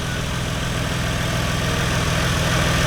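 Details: Lexus GS300 with a turbo 2JZ-GTE VVTi engine, just after fitting a new Gates FleetRunner serpentine belt: smooth, steady idle rising slightly, with no squeal or chirp and nothing skipping; the belt drive sounds healthy.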